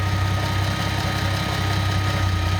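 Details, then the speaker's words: Nissan L28ET turbo engine with a Ford idle air control valve driven by a VG30ET controller: fast, busy idle with steady low drone and no dip as the idle air valve is left fully open, holding revs high. "now if I don't throttle back the iak other words it Go full bore with it"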